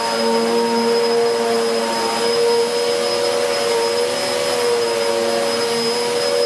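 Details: 2013 Hoover Whirlwind Pet WHS2102 001 2100W bagless upright on carpet, belt refitted: steady high-pitched motor whine, constant hum and a rough rustle from the aggressive brush, no surging. Healthy, normal running.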